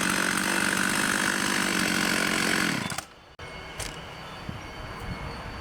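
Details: Vintage 1989 Husqvarna 50 two-stroke chainsaw, sat years with old gas, after carb clean and tune-up: high, raspy scream held steady at full throttle, then cut to a burbling idle; normal running.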